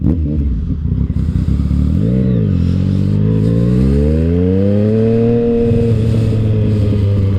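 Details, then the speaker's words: Motorcycle after readjusting clutch lever, which was over-adjusted with shorty levers and caused slipping: engine pulls up cleanly, pitch climbing steadily under load with no flare; clutch now gripping, normal engagement. "let's see if we're good [Music] oh yeah that's much better mo bettah"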